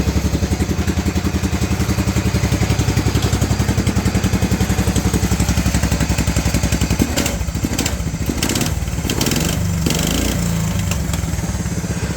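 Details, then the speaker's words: 1994 Cub Cadet 2135 riding mower, first start after decades sitting, parking brake set, choke pulled, throttle all the way down: steady, even low thump about 220 beats a minute, slight tone change midway; idling cleanly. "There's it idling. That's all the way down."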